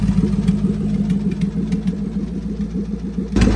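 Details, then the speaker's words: Gen 1 Coyote Mustang, turbocharged and run at 28 psi on a stock motor: rough, uneven idle with a loose clattering chuff about three times a second, then a surge; smoke from the breathers/PCV, heavy crankcase pressure. Owner suspects a damaged piston ring causing blow-by; not compression tested. "It was puffing smoke like crazy. It looked like the car was overheating out of the breathers, out of the PCV system. It has an insane amount of crankcase pressure."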